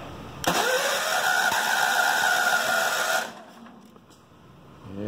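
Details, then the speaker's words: Mower with electric start, full choke, key start: catches, runs unevenly about three seconds, then stalls; hard to keep running, owner suspects low compression, new carburettor on hand. "it's very finicky I'm thinking this doesn't have a whole lot of compression in it you can hear it wants to go but it's UN's runs out of its Prime"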